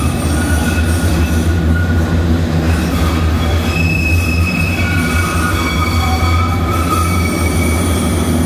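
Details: Tram wheels squealing against the rail from friction: several high, steady squealing tones over a low rolling rumble; wheel-rail squeal, addressed by rail lubrication to reduce wear and noise.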